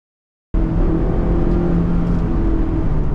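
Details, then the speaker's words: Honda S2000 parked six years, started first time: it catches and holds a steady strong hum with a slight lift in pitch, running smooth with no knocks or chain rattle, which the owner notes these engines can suffer. "It sounds so good as well. I know they suffer from chains and stuff, but that sounds so so sweet."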